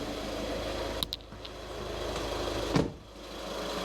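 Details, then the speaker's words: 2013 VW Caddy 1.6 diesel just after fuel filter change, started after ignition-on priming of the in-tank pump: steady, even diesel clatter at idle with no hunting, misfire or stalling, a couple of nearby clicks; idling healthily. "It might take a little bit of cranking over if you've got a bit of air in there. But that sounds pretty good."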